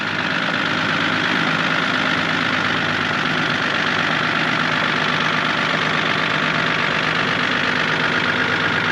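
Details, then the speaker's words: Engine at idle with a light, irregular tick riding over the engine note; vehicle still drives, no smoke; owner suspects maybe a big end, not confirmed. "it's got a really weird ticking noise I don't know I'll start it up for you in a minute and um drive it off the trailer"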